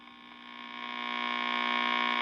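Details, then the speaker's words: 1952 Wards Airline AM tube radio after silver mica repair, new 12AU6 tube installed (now -1.8 V): steady buzzing hum with only a faint station behind it; reception still weak. "Okay. Well, that's different as well. I hear a faint station."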